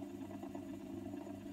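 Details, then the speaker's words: 1960s Revox G36 MK III reel-to-reel tape recorder, motor previously seized and freed with oil: steady low motor hum with a faint rough rumble that swells, fades and sometimes quietens; owner suspects the bottom motor bearing needs changing. "So I've been putting oil in it, and it worked sort of first time, but it's a bit noisy. I don't know if the bearings need changing."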